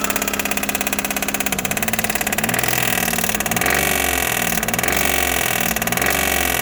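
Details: Daihatsu Mira Gino L700S checked with the accessory belt removed: the engine runs with a fast, even ticking over the idle and some revs blipped. Abnormal engine noise, source still unknown.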